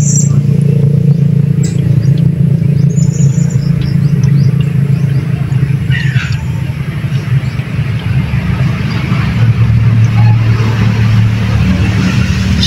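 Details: Newly installed shallow water pump with bladder pressure tank, just wired and switched on, heard at the pressure tank: steady low motor hum with even water rush underneath, no knocks or squeal while filling the tank; normal running.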